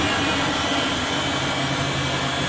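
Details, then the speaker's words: Clarke 12-inch three-wheel bandsaw after tracking wheel bearing replacement, free-running without cutting: loud steady whirring hum with blade hiss, even, no knocking or rubbing; runs normally and now tracks easily. "I'll put the saw on a sec just so you can see it working, but it's quite noisy, so I won't leave it on for long."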